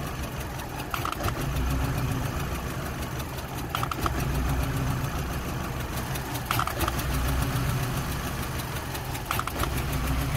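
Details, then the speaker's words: 2005 VW Golf Mk5 1.6 petrol (BGU) idling with engine light on: uneven surging and stumbling every few seconds with rattly bursts, worse with heater off and with PCV hose closed; owner suspects too much air; rough idle. "whether covered or not it will run rough like this and keep doing this heater is on uh inside which sort of stabilizes it but with um it off it's it's much worse"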